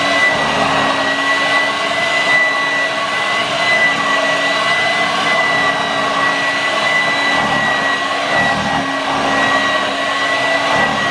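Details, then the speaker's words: Vorwerk VK 117-1H upright vacuum running, motor bearing somewhat dry: steady whine with irregular low fluttering from a loose air flap flapping back and forth. "Yes, there's some strange noises coming from the flap here. It's like this going, and that's why it makes that."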